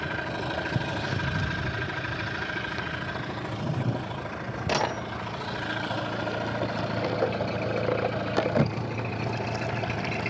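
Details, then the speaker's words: Two-stroke Mercury outboard on a sailboat, after diagnosis and repair so it runs again: steady, even two-stroke burble at idle with no misses or knocks, only brief handling clatters; that's what it's supposed to sound like. "that's what it's supposed to sound like"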